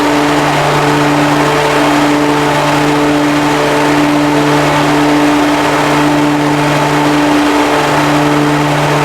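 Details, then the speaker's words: Commercial riding lawn mower with hydraulic pumps and a hydraulic wheel motor on each side; while driving, a steady loud even whine over the engine drone, owner suspects a hydraulic wheel motor going out. "oh all right YouTube sounds like I got a hydraulic wheil motor going out as well"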